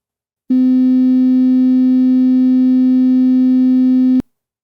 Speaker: and now for the borderline speaker it does have measurable perceptual rub and buzz but not as bad as the bad speaker